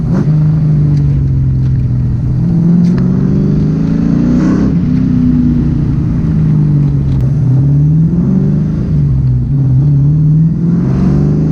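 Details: SN95 Ford Mustang test drive after fixing an intake vacuum leak: engine rises and falls cleanly through part-throttle pulls with no stumble; the former hesitation and jerkiness under throttle is completely gone, running much smoother.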